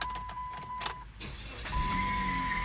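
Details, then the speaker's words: Dodge Caliber four-cylinder with complaint of power steering noise, idling in shop; thin steady whine above running noise, louder than before, pointing to worn alternator and idler pulley bearings in the accessory drive. "wow you can hear it louder now let's pop the hood and go see"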